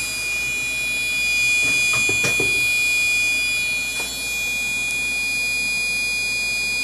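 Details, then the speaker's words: PC with AMD FX-4300 quad-core 3.8 GHz, GTX 960, Cougar 500 W PSU: thin steady high electronic-type whine at one pitch, source unknown; owner wonders if dust on the CPU fan is the cause. "ht guys um this is my cpu this noise that's making i don't even know where it's coming from"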